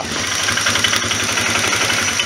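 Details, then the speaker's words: 1998 Polaris Big Boss ATV with a 500 engine and two-stroke-style transmission, the CV carb replaced by a slide carb: a steady, even chuffing idle with a regular low beat and no misses or knocks, a healthy single-cylinder idle that really snorts. "and this thing really snorts once they start it up fire it up for you"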